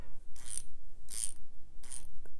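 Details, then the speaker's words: Snap-on 15 mm flank-drive ratcheting combination wrench, about 80-tooth fine ratchet, four short bursts of very fine rapid clicking, one per back-swing; normal, smooth ratchet action. "so this would be flank Drive snap on fifteen millimeter it's got the open end it's a combination but it's the ratcheting combination you can hear it"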